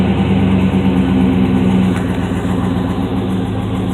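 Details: 2006 Chevrolet TrailBlazer SS V8 at steady idle: light rapid tapping about four per second; piston slap suspected; engine ticking or knocking noise.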